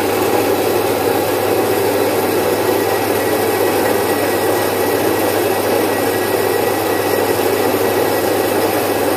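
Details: Domestic stone flour mill, single-phase 1 HP, splitting about 4.5–5 kg of moong into dal in three to four minutes. Constant, even hum and rush with no pitch wander, knocks or grinding spikes; smooth running under load.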